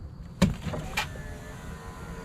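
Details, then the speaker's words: 2004 Ford F-150 after driver's window motor repair, door panel refitted: short switch clicks and brief smooth motor hum as glass travels, no grinding or binding; window works, other switches too. "how about that got a working window all the other switches work too"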